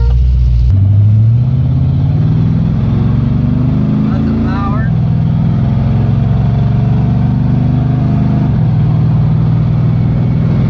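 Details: 1978 Pontiac Trans Am 400 V8 (X7 block, 6X heads), idling after timing set to 18° and vacuum advance reconnected: steady even idle, firm low rumble, one brief rev then settles smooth; idle slightly high, otherwise runs perfect.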